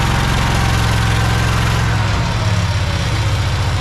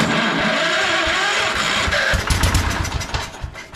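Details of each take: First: Project tractor's small engine, fed fuel from a Lucas oil additive container into the hose, with a slightly leaking fuel pump diaphragm. It gives a steady low thumping idle with an even beat, no misses or knocks, and the carburetor is doing its job. Normal idle. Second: Old project tractor with a sticking choke cable, cranked on starting fluid with the throttle up a little and choke applied: ragged firing pulses about three a second that catch briefly and die away; stale fuel, fires only on starting fluid.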